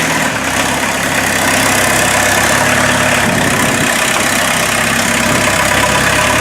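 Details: Mazda B1800 / Ford Courier pickup with VW diesel swap, started after about five months sitting, no hood, awaiting custom exhaust: steady, even diesel idle with low rumble, no knocks or misses; normal healthy idle.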